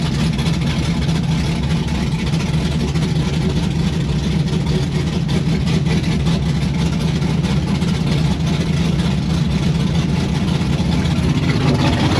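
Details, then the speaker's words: 1992 Firebird with swapped LS V8 and Holley Terminator X, first start outside, thermostat stuck: low heavy idle with an uneven, choppy burble that never settles; rough idle. "It runs, you saw it chopping."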